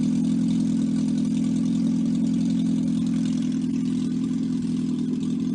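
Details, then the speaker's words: 1954 MG TF engine out of the car for restoration, warm, no exhaust muffler, with 50 psi oil pressure at idle and compression 162/157/157/156: loud but smooth, even idle with steady firing and no knocks or misses; healthy engine needing no rebuild. "so um i'm going to run it for you for a few minutes let you hear it run does not have an exhaust muffler so it's a little loud"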